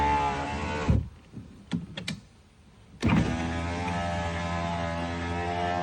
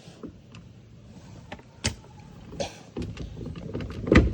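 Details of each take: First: VW Polo power windows after lubricating the dry window mechanism: the window motor hums at a steady, even pitch for about three seconds each way, up and down, with no binding or squeal; windows now working normally. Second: VW Polo power window, door panel off, motor tested: short motor whirrs with clicks and knocks but glass doesn't travel; motor works, something is jammed in the window channel/sleeve.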